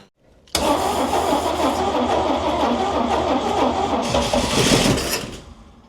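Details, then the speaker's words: 1969 Chevy C10 carbureted engine fed from a jerry can, gas poured down carburetor: starter churns steadily for several seconds with only a brief catch; not pulling fuel from the can; cranks but won't start. "Still not pulling from that jerry can. Try it again."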